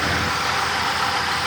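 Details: 1971 Chevrolet C10 with weak battery, cold start after sitting a while: steady, even, quiet idle with no knocks or ticks and a smooth background hiss; engine sounds healthy.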